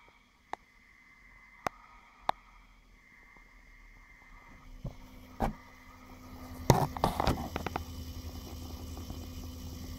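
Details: Brand-new Xbox One replacement console (the first had the same noise plus a WiFi fault): fairly loud electric buzz, like a hard drive spinning in turbo mode, even at idle; steady low buzz with faint hiss after handling clicks.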